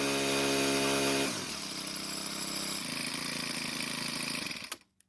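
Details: Four-stroke string trimmer, model 41EDT57C966, after repair of a hard cold start: a new part with stiffer plastic lets the flap seal better, plus a slight idle speed adjustment. It revs high, drops to a steady even idle without stumbling, then shuts off cleanly. Normal run.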